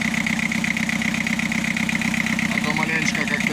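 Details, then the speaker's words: Mitsubishi Canter 4DR7 diesel, first start after a full rebuild, warming up at idle: sharp, regular clatter about four per second over the rumble, running hard and slightly uneven; injectors not yet checked, owner plans to retard injection timing. "как-то дизелит, жестко работает."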